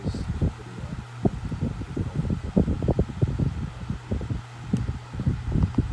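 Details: Duracraft pedestal fan (made 12/1996, now a parts fan, dirty from shed storage) running normally on medium speed: steady low hum with soft air rustle, no knocking or rattling; the hum comes from the stool it sits on, not the motor.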